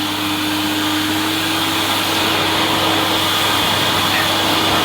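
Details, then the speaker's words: 1988 Hoover Compact Electronic S3462 1000 W vacuum ramped from minimum to the rug/fitted-carpet setting on carpet: steady high airy rush with an even mid-pitch hum, no surging; a slight squeak from a suspected rubber seal; normal running at maximum power. "I'm going to ramp it up to the rug setting or fitted carpet setting yeah harder to push not too bad now"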